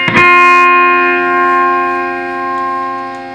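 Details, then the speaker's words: Fender Twin Reverb amp, vibrato pressed on footswitch: guitar chord rings steady with no pulsing at any speed or intensity setting; vibrato dead, footswitch or its lead suspected, tatty connections also seen. "nothing speed intensity nothing whatsoever so it could be the foot switch on the vibrato side could be the lead computer connections"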